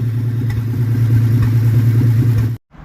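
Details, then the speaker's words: 1947 Plymouth Special with a replacement engine that had sat since 1975, after correcting the firing order and adjusting the valves: steady low rumble at an even beat of about three pulses a second, no stumble, then cuts off. Running smooth. "it still wouldn't run right to start jumping wires around while it was running and it smooth it out sounds like a race car now"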